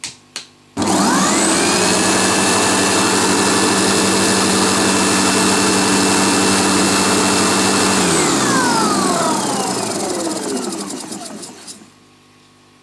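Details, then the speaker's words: Sebo G1 upright vacuum, previously vibrating and clunking, reassembled after loose screws were found. The motor spins up to a smooth, steady whine and winds down evenly with no vibration. The owner may still order new parts. "well there is no vibrations now that's for sure"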